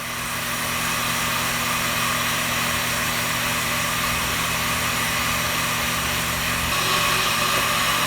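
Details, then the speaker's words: 1998 Ford Contour brake rotor on a lathe, machined to remove pulsation from rusty rotors: steady even whirring hiss with no chatter or catching; finishing cut clean, rotor done. "sounds like a rotor's done it'll still be there"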